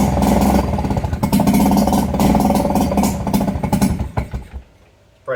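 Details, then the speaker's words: Nissan 5hp two-stroke outboard from a Marketplace jon boat, first start after carb cleaning: it pops and stumbles unevenly, never settles, then cuts out. Rough cold running; owner suspects it needs warm-up or tuning. "I would call that a running engine. probably need to tune it a little bit or at least just let it warm up."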